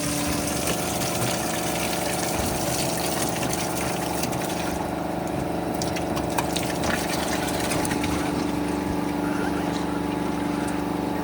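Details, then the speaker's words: Detroit 3-53 two-stroke diesel padfoot roller left in the elements for years: steady gush of water pouring from the side-mounted sump plug before oil follows; water flooded the engine. "you can already see it's got water coming out of the sunm plug I'm going to try not to get covered but it's going to be a fair bit of water coming out that's a lot of water"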